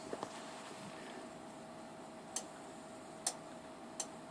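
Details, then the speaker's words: 60 V, 3.5 A bench power supply with the voltage being turned down: sharp, isolated clicks over a faint steady hum as three relays switch transformer taps. Normal relay clicking. "So yeah, you can hear 3 relays. And actually that's very, very common for any power supply that has a fairly higher, I don't want to say high, but a higher voltage."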